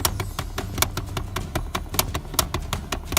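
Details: 2010 Chrysler Town and Country with the glove box removed: rapid sharp plastic taps, about five a second, behind the glove box whenever the AC or heat runs, over a low fan and engine hum.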